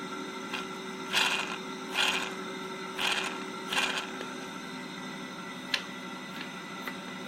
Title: RcTimer 2814 - 8120KV Very Noisy with BAD Bearings